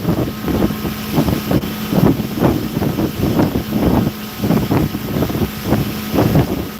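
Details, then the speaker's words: Rental boat engine at end of season running rough under way, uneven surging drone about twice a second under wind; owner suspects it needs all new plugs and probably a new water separator. "you hear that [Music] mess the end of the rental season she needs all new plugs probably new water separated"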